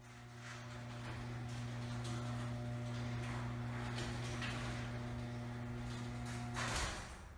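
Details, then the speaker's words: Garage door after replacing old rollers with new quiet rollers: smooth even opener motor hum as the door travels, no squeal or clatter, soft stop; quiet and healthy, the motor now the loudest thing. "just solid solid so quiet rollers are awesome they're gone the old rollers are gone and just amazing now the loudest thing on here is literally the motors"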